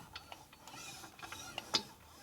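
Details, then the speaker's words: Hand-turning a 1941 Harley WL 45 flathead 56ci stroker engine build near top dead center, rear cylinder on compression stroke: quiet irregular clicks then a sharper clunk, inconsistent internal knock echoing through the valve train; suspected cam contact, unconfirmed. "There's that clunk again. What the hell was that? I don't know what the hell that noise is."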